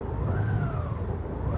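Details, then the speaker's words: 2021 Honda GoldWing Tour idling on 30% ethanol premium fuel: uneven, surging rumble with tone swelling up and down; erratic hunting idle, fixed by siphoning fuel and refilling with non-ethanol fuel. "That's idling when you use jump start premium fuel."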